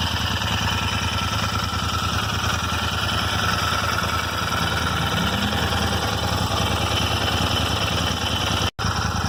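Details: Royal Enfield Interceptor 650 twin idling steadily with a light, irregular ticking over the exhaust beat; random ticking noise in engine, cause unknown.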